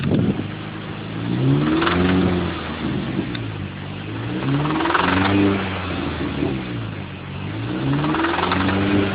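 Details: Mini Cooper S R53 petrol engine revved repeatedly: loud harsh knocking rattle riding over the rising engine note, engine knock.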